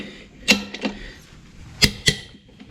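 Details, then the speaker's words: Case IH 75C tractor front wheel reinstalled after flat tire repaired at co-op: torque wrench set to 150 ft-lb gives sharp, single metallic clicks, a few spaced apart in a quiet room, as each lug nut reaches spec; confident above 162. "so we're going to make sure it at least clicks and torqued to 150 and I'm sure if it does we can go a little further and crank it down a little bit more"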